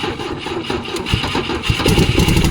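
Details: 1972 Volvo 145 four-cylinder, first start after purchase with fuel rigged and vacuum ports plugged: lumpy, stumbling idle with uneven chuffs and gaps between firing pulses, running on two cylinders because two plug wires were off; very hard to start.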